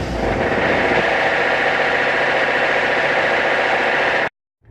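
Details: Ford Mondeo 4 2.0 diesel revved with a rough rapping knock about four beats a second over the engine roar, howling under acceleration; knocking torque converter flexplate.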